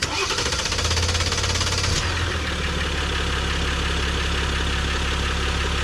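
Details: 2023 Jeep Gladiator Rubicon EcoDiesel after fuel filter replacement and priming: quick crank and catch, then an even, steady diesel clatter settling into a smooth idle; it sounds healthy.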